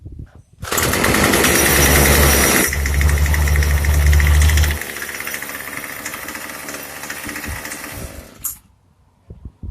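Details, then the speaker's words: Craftsman 25cc two-stroke weed eater that only fired on starter fluid: buzzes loud then sags and hunts unevenly before dying; poor running, judged to need a carburetor tune. "All right, well, from the sound of it, it sounds like it just needs to get tuned."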